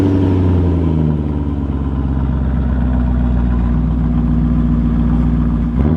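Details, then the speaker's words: BMW E39 M5 bought from auction with light accident damage, first start: deep, heavy, very loud throaty rumble at idle with slow rev swells, like an exhaust with little muffling; cause of the loudness not confirmed. "That is loud. It's not a joke, man. This thing is so sick."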